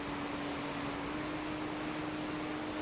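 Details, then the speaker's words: FPV model plane in flight, banking to return: the left electric motor whistles at a steady mid pitch over wind rush just before it cuts out, current dropping from about 13-16 A to 6 A. "Et là, vous écoutez, le moteur siffler. Et puis, il va lâcher."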